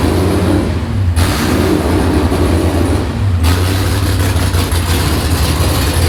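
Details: Nissan S15 with a freshly built V8, first start after the build and long-idle batteries, throttle blipped by hand cable: deep, even rumble swelling with each blip and settling back cleanly; engine runs fine.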